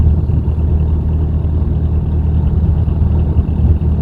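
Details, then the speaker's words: Boat diesel engine under way after fitting a replacement alternator while chasing an intermittent charging fault and an engine-compartment noise: steady even low thrum, no squeal, rattle or chirp from the belt pulleys; still charging, normal running. "but we must get a bit of a test still charging okay no funny noises"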